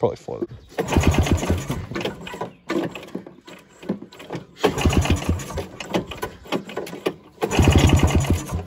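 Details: 1987 Ski-Doo Citation LS Electro 250 snowmobile found at dump, makeshift fuel line with primer and filter; three cranking bursts of a few seconds each never catching into a steady run; hard starting.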